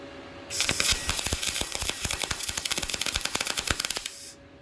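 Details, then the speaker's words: YesWelder MIG-205DS dual-voltage MIG welder turned up to its maximum setting of 24, after inconsistent hit-and-miss arcing at a lower setting; steady, crisp crackle with fast even pops and no sputter, a smooth stable arc. "Yeah, see, that's more along the lines of what I would expect right there."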